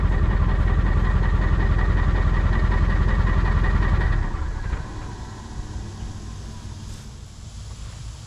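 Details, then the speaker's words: Diesel truck at idle with loud, uneven, lumpy clatter, missing on a few cylinders from failed injectors, before pulling valve covers; injector cups and oil cooler to be replaced. "Hope you can hear by that idle. We got a few missing injectors."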